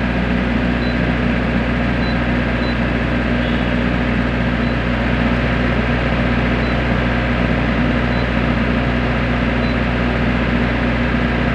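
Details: Diesel genset, earlier low oil pressure shutdown alarm: steady even drone with constant low hum, no hunting or surging; holding speed, running healthy.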